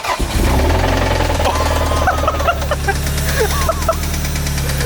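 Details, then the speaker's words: Toyota MR2 started after repeated attempts: rough idle with a steady, heavy rod knock underneath; engine later stalls; car due for an engine swap. "That was bad. It's knocking. Dude, get it home quickly. Oh God. It's knocking so bad, so it might stop at any point."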